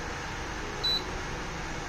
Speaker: it should be cooking but it's not doing anything let's test with water nothing happens it just blinks so that's how you know that this is not compatible